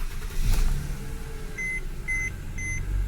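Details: 2008 Mercedes C300 4MATIC after the replaced front SAM module was coded, first key start: quick crank catches right away and settles to a smooth idle under a dash chime beeping about twice a second; normal start.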